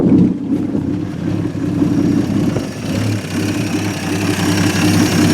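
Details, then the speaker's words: 1950 Studebaker Champion revived after 40 years in a barn, on restart after a high cold-start idle; even low putter with slight speed drift, no misfires or knocks, no big leaks, no longer smoking; normal smooth idle. "not terrible no big leaks she's running good I like it sounds pretty smooth All Things Considered I like it"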